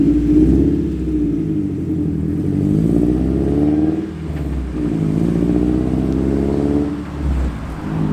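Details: Mazda Miata with a new MazdaSpeed intake cam, ISR headers with EGR delete, timing belt, QMax coolant reroute and crossflow radiator, no check engine light: a lumpy, throaty engine through a few blips with a slightly choppy idle and no knocks, sounding healthy.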